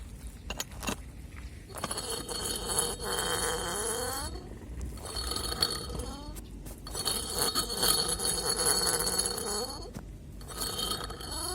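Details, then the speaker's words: Removed radiator fan motor, rusty from water, spun by hand after brushing out its clogged, nearly seized bearing: squeaky rising and falling tones with gritty crunching from the dry bearing, which is riveted in and probably not replaceable. "короче так везде скрипит издает такие вот плохие звуки подшибник вот этот я понимаю не меняется потому что здесь видно стоят какие-то заклепки"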